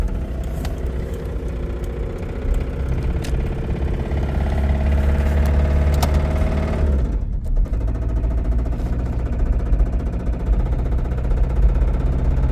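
Deep uneven knocking rides on a rough low rumble and stays through the drop in revs, consistent with a spun rod bearing.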